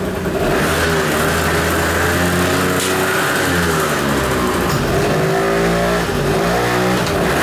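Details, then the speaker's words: Kymco Vitality 50 2T scooter on a lift, weak pulling: steady two-stroke buzz, then revs sag and labour when the brake is held; the centrifugal clutch engages too early. "bo Słyszeliście co się dzieje jak ja hamulec nacisnę Zobaczcie Spróbuję wam pokazać na naciśnięcie hamulcu co się dzieje bez hamulca na hamulcu słyszycie to różnice w obrotach Moi drodzy co to może oznaczać"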